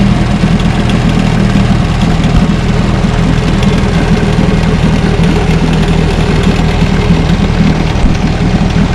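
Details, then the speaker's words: 1963 Johnson Seahorse 10 HP outboard on a post-repair test run on the bayou, idling in the morning: steady low two-stroke burble, even unbroken beat, no misses or knocks; normal, clean idle. "As you can see, I got her idling right here. She idles pretty good."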